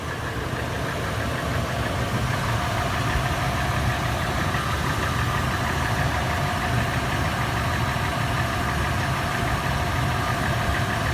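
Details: Toyota FJ warm start at idle, heard in interior, exterior and engine bay: steady idle with busy, fast tapping clatter throughout; noisy top end, source unknown.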